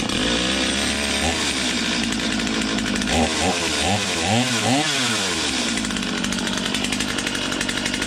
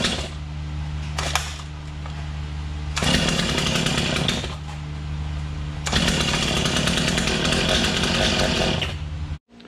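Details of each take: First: Stihl MS250 chainsaw warming up after new crank bearings and seals. Steady high two-stroke buzz with a few smooth throttle blips and no grinding or rattle beneath, unlike the earlier grind; healthy normal warm-up idle. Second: Stihl MS250 chainsaw at first start in the shop after a first-time crank bearing and seal replacement. It fires and revs in bursts, drops to a lumpy idle, then dies; starts then stalls, fuel delivery suspected.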